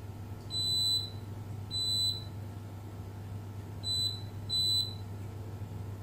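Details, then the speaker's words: Beko WMB71033S washing machine control board, no display and clicking: multimeter continuity beeps show the 5 V DC supply to the ATmega64A microcontroller shorted to ground; the short persists after isolating the line, so the microcontroller is faulty. "hai tụ điện này vẫn có vấn đề gì đó chúng tôi bị đoản mạch trên đường dây nguồn DC"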